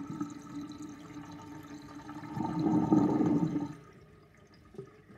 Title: Old sinkdrain with universal sinkplug 45.5 mm & plastic ring & little whirlpool and gurgling sound